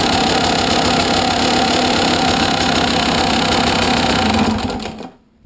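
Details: 2011 KTM 200 XC-W two-stroke with 86 hours idling, busy light clicking chatter over the engine, louder from the engine than the exhaust, before shutting off; owner asks if normal.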